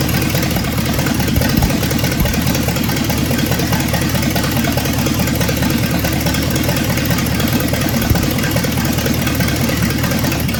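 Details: 1965 Ford Thunderbird with FE 390 V8, just restarted after troubleshooting: steady, even idle with a smooth low rumble, no knocks or misses, running on its own; normal idle.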